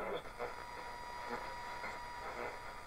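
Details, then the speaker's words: Unisonic 6-band radio on shortwave: steady hiss with faint constant tones between stations, no-signal noise; suspected room interference or missing rechargeable batteries acting as filter. "So you're getting that noise when you don't have a signal. Probably due to all the junk in this room."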